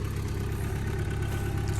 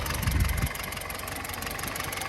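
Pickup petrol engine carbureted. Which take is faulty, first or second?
second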